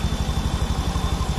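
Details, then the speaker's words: 2019 Honda Beat Street scooter idling, also smoking from the exhaust and using oil: fast metallic clatter on the idle pulses at an even rate, cam chain rattle from a loose chain or weak tensioner; fix is replacing the tensioner. "paling mudah untuk menganalisa suara berisik itu dari setelan keteng dulu gini nah tuh kalau kendur ini berisik kayak gini kalau penekan ketengnya lemah ini berisik kayak gini"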